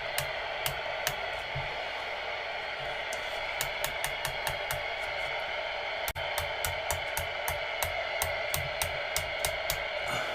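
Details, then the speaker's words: Uniden Uniace 200 CB radio after repair of missing even channels, squelch off, connected to power meter: steady static hiss with irregular sharp clicks; the even channels now receive and it sounds absolutely perfect, drawing 170–180 mA. "so before we were missing the um even channels won't we there we are [Applause] absolutely perfect"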